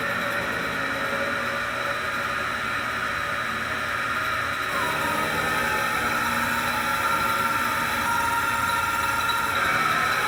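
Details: Hitachi WK-10BH bathroom fan: its motor bearing (19mm OD, 6mm ID, 6mm wide) was lubricated as a stopgap, but after a month of bathroom humidity the thin, wavering, climbing squeal over the steady whir returned. The bearing was then replaced, curing it.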